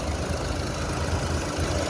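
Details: Renault Captur Life 2019, 72,000 km, after warranty replacement of radiator fan (worn rear bushing had unbalanced it, hitting its support): steady idle with A/C on and even fan whoosh, no ticking or rattling.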